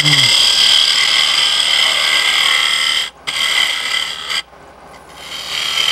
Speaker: If you're turning this on good maple or good hardwood, if you get too shallow or too close to the hole, you'll hear the sound difference. It's like hitting a drum.